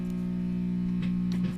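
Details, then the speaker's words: 1966 Fender Deluxe Reverb with intermittent hum: steady low buzzing hum with light probing taps; DC ripple from the bias supply's half-wave rectifier after a broken solder joint on its filter capacitor, fed from the 50 VAC transformer tap. "The hum that we are hearing is DC ripple produced by this half-wave rectifier circuit without a filter capacitor to smooth it out."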